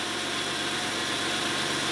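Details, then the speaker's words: 1991 Oldsmobile Ninety-Eight Touring Sedan, GM 3800 3.8L V6, idling just after new spark plugs and Walker Thundercore Pro plug wires: quiet, steady, even beat with no misses, knocks or ticks; runs slightly smoother, sounds healthy. "little bit better that sounds pretty healthy"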